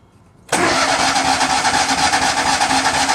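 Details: Miller Bobcat 250 welder, gasoline engine, 34.1 hours, unused since July, January start attempt: sudden steady fast cranking holding an even beat but never catching; engine turns over without firing, cause unknown.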